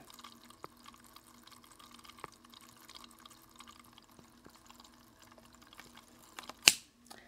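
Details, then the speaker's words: Cooler Master MasterLiquid ML240R AIO CPU cooler pump, microphone placed at the pump: quiet hum with irregular watery drips and gurgles, worst at startup; pump gurgling, being replaced by Alphacool Eisbaer 280. "gurgling that this pump makes that drives me absolutely crazy"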